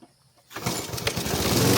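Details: Repaired roadside-found Troy-Bilt variable speed push mower: silence, then one pull and the small engine catches at once and settles into a steady even run; normal start.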